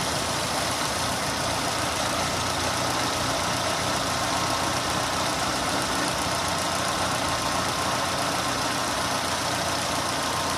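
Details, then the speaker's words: Renault on LPG after replacing noisy 3-ohm gas injectors with 2-ohm ones: steady even idle, injector ticking gone, no leaks. "Evet arkadaşlar enjektör sesi bayağı bir kesildi yani o şıkırtı sesi yok şu anda"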